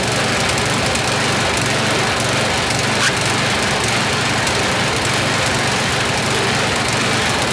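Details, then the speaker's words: YardMan snowblower small engine test-run after an auger belt fix. Loud, fast buzzing run held above normal idle with slight unevenness. Speed is set a bit too high, needs throttle pulled back, and it stumbles slightly; idle circuit may need checking. "It's running a little too high, so we're going to pull a little throttle out of it because that's just a bit too high. And it's a little stumbly, so you might want to check the idle circuit."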